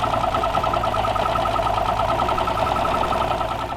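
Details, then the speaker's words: Long-sitting 2-stroke outboard with direct injection, running with gauges at 80 psi air and 90 psi fuel and an air leak present. Uneven, stumbling beat with pulses dropping out: misfire on cylinder 2, with near-new fuel injectors, so the air injector is suspected. "But we got a misfire on number 2."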